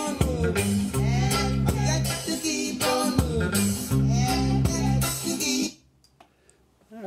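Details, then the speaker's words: Restored 1987 Technics SB-2765 speaker after custom woofer foam refit, voice coil centred and not rubbing, cabinet stuffed with fiberglass, bass reflex port left open: full, clean music with solid bass and clear highs, no rattles, buzzing or distortion; normal playback. "these are playing again sounding great good for another 30 years hopefully"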